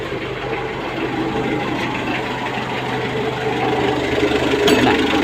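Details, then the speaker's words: Mitsubishi L300 diesel after correcting the injection pump timing, which had been too far advanced, and adjusting fuel delivery: steady, even idle with a soft regular beat, about four per second, with no sharp knock. Finding: normal idle. "Tama na yung kanyang menor ganon lang kasimple ba mahimig na yung kanyang andar"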